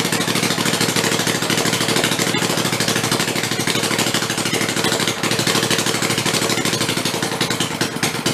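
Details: Rebuilt Kohler Command 20 hp engine, revived after a thrown rod and flood damage, 150 psi compression, refueled and run on the bench: fast, busy clatter with steady firing, no stumbling or heavy knocks; normal running.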